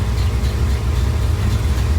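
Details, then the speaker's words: "Poop Coupe" V8 at idle, timing set for sound; steady lumpy, even idle with no misses or knocks; normal idle. "and there you go that's the difference that timing makes on these cars as far as how they sound how they run"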